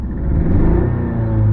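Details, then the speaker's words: 1985 Toyota MR2 with a suspected cylinder misfire, sluggish acceleration and very high idle: a low-rpm throttle blip gives a low, uneven sputtering, sneezing rumble that smooths toward higher rpm. "you can hear when I just first hit the throttle it kind of sounds like it's uh kind of sputtering sneezing I don't know kind of thing and that kind of Smooths out a little bit toward higher RPM"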